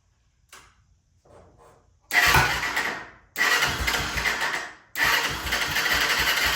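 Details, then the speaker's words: 1996 Honda FourTrax 300EX ATV, previously no-start, restarted on its original carb: two short bursts die away, then it catches on the third try and holds a steady, even idle; normal engine start. "We're ready to fire this thing back up with the original carb. And we'll see how it runs now."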